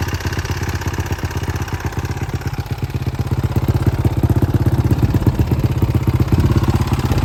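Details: 2018 Honda CRF450R with a known engine knock: sharp regular knocking, about 160 a minute, over the idle, louder as throttle comes in; only on throttle, owner suspects the decompression valve, unconfirmed.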